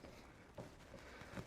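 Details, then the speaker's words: Toyota RA28 Celica steering linkage rocked by hand, giving two soft dull clunks at the idler arm. The castle nut's split pin is missing, so the owner says the ball joint may be bad or the nut may just be loose; the idler arm is judged no good. "you see the distance the Gap here shrinking you can actually hear the knock"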